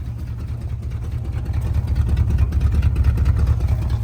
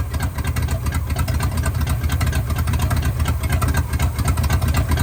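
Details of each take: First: 1974 Chevy C20 V8, revived after five years in a scrap yard, idling after a missing nut was replaced: low, steady, even rumble with no ticking or puffing, quieter now; a noise owner can't place as water pump or power steering; staying cool. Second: 1974 Chevy C20 Custom Deluxe V8, first start after sitting 5 years in a scrap yard: loud deep idle with uneven stumbling beat and puffing exhaust note; misfire plus exhaust leak, owner suspects spark plugs.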